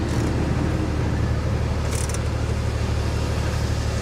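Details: C4 Corvette sitting in a salvage yard, possibly unused for a while: rough, lumpy idle with a deep thumping pulse stumbling about three beats a second. Engine misfiring badly.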